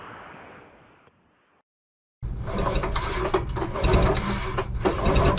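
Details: Rusty 440 Hirth two-stroke snowmobile engine, no exhaust pipe, parts swapped over: quiet start, then a busy uneven beat around 220 per minute with crackly exhaust; it runs and fires, with a good lug sound even with plugs out, showing good compression.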